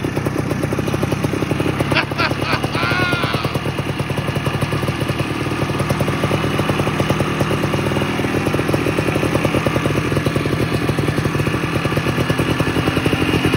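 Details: 1987 Ski-Doo Citation LS Electro 250 two-stroke snowmobile found at dump, makeshift fuel line with primer, gas possibly put into air box; fast, even buzz holding steady without misses or stumbles; normal running.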